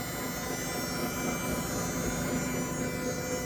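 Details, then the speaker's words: 2019 Honda Clarity hybrid on jack stands, listening at the hybrid motor: steady, even low hum with a faint buzz and no grinding or knocking; normal electric motor sound, while the hum is suspected to come from a wheel bearing. "All normal sound. So anyway, I hope that's normal."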